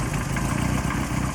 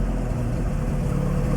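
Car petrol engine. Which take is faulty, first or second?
first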